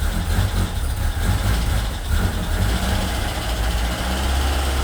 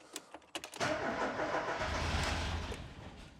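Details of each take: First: Ford Escort Cabrio XR3i running on its own for the first time in 20 years, after lifting the sensor plate confirmed fuel reaching the injectors: steady low idle rumble with a small rev swell, settling back to even idle; normal. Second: Ford Escort Cabrio XR3i after injector cleaning and new injector seals: a few starter turns, then a rough half-catch that fades without running. This is a crank-no-start from lack of fuel; fuel pump relay replacement is to be tried next, cause not confirmed.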